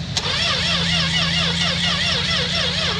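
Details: 1963 Dodge Dart, 225 slant six, sat 7-8 years, battery charged, gas down the carb, ignition switch faulty: steady fast cranking whir with even starter drone, turning over but never catching; long crank, no start.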